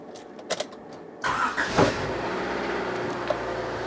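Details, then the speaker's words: Rover 216i Cabriolet with Honda engine and 320,000 km: a short crank, then a quiet, even idle with no misses. Head gasket failure was considered but the owner doubts it. Normal start and idle. "there we go sounds great it sounds so much hunterish it's it reminds me so much of my wife of my wife's uh Honda Civics"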